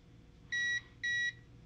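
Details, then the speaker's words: Para Systems Minuteman Entrust ETR 700 UPS with its old, worn battery, running on battery with only a lamp plugged in. Two short, high beeps as the battery drains and dies, confirming the battery is bad. "it's still dying and that was it that was all the power left in that battery so now we determined that the battery is bad"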